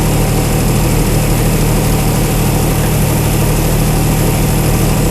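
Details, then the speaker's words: Chrysler 225 Slant 6 generator set just converted to Holley Sniper EFI, first startup: low, even idle around 700 rpm with a smooth steady rumble, no ticking or knocking; oil pressure 45 psi, alternator not connected, engine still cold. Normal idle. "that was a pretty good startup huh engine RPM 700 something"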